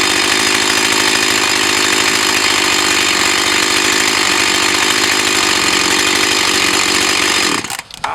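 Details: Echo CS 4500 chainsaw, bought used with unknown history, after carb rebuild, test run behind a garage. High, even two-stroke buzz holds steady without stumbling or surging, then cuts off; running smoothly.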